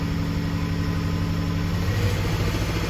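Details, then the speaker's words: Ford truck under load after swapping the number 4 and number 1 ignition coils: the engine rumble turns ragged and uneven. Cylinders 1 and 4 are missing, and a bad number 4 plug is suspected. Cylinder 1 misfire from bad ignition coil and spark plug. "So I moved number 4 coil to number 1. Now I'm missing on 1 and 4. So we gotta have a bad plug in number 4"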